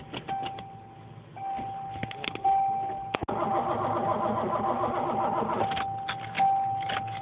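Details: 1986 Ford Mustang 5.0 five-speed on a boost-start attempt: a key chime, then a few seconds of steady starter churning with no firing. Crank, no start; a bad connection is suspected.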